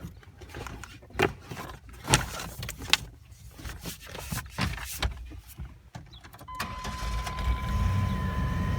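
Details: 1997 Chevy Astro with a starting problem, after replacing the faulty coil wire under the engine cover. Clicks and thumps for several seconds, then it catches and settles into a steady run with no misfire: a healthy start.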